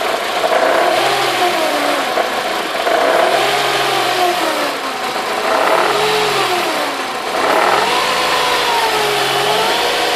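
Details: Mercedes W202 C180 being revved: a rattly metallic chatter rises and falls with each rev over the engine note; timing chain noise, likely a loose, worn chain.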